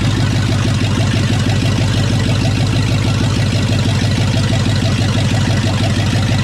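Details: Chevrolet C2500 with rebuilt 350 TBI V8, stock apart from a roller cam, first start after rebuild; loud, deep burble holding an even, steady idle with a slight lope and no knocks or misses: normal idle.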